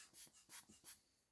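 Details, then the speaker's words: Boxio Wash with NGT Bivy Sink attachment: the vent knob is undone and there are four or five short, soft hisses of air leaking past it. Tightening the knob stops the leak. "So, that Can you hear the difference? Undone, you can hear it hissing."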